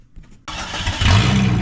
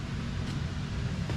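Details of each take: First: Jeep XJ after new RCV axles. Starts and settles into a low idle with a faint dull knock under the rumble. The knock has worsened; the owner suspects overheating or running without oil. Rod knock. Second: Jeep XJ after replacing the rod bearings. Steady, even low idle rumble with no knocking or ticking. Temperature gauge not yet connected. Normal idle after repair.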